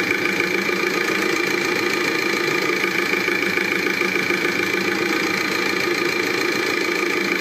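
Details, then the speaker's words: Volkswagen BKD TDI diesel brought in with very unstable idle; harsh clatter with uneven, hunting beat at idle. Injector possible, but engine oil was entering the diesel fuel through a failed tandem pump. "because the idling speed was very unstable, this engine did not work well, listen to it,"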